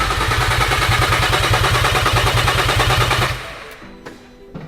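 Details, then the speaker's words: VW Caddy R after engine swap, first start with completely dry fuel system: even starter cranking about three beats a second, never catches; engine turns over but has no fuel yet. "Okay, so it's cranking, but it just hasn't got any fuel, which I mean makes sense why it doesn't have any fuel cuz I still think it's just going up."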